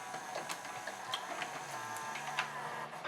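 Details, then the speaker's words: 1992 Admiral (Sharp-made) mono VCR, Montgomery Ward model JSJ20416, after cleaning and de-glazing loading and take-up belts and pulleys, capstan pulley repair and tape path cleaning: light motor whir and soft clicks, tape loads first time, normal. "make sure it plays I do have video on my screen even though you can't see it it's working absolutely perfectly loading perfectly the first time"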